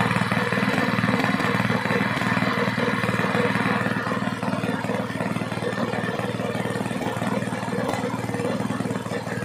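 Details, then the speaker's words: Small gasoline water pump engine after cleaning carburetor, air filter and magneto to fix misfiring from long disuse: steady even single-cylinder firing with no misses or stumbles; runs clean. "Ayan mga sir umaandar na yung ating makina na na yung andar niya subakan naman natin ditas yung rbm niya Ayun mga Sir okay na okay na maganda na yung andar niya"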